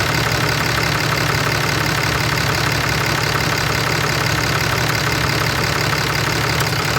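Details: 2011 Ram 3500 6.7 diesel cab and chassis idling steadily with a faint, roughly even ticking noise, about two to three ticks a second.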